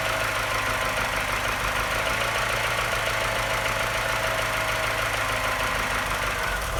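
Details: Engine sounds fine at higher revs, but as revs drop to a low idle a light tapping grows louder over a slightly uneven beat with occasional misfire, like a London taxi. The cause is unknown.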